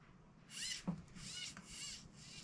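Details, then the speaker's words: Losi Promoto RC motorcycle: repeated short whirring buzzes from the steering servo while the steering fails to hold; the spring-wound servo saver is slipping, which the owner thinks needs a redesign. "so yeah it's definitely a Servo saver if you look now this is a weird design where they got these Springs all kind of wound up here"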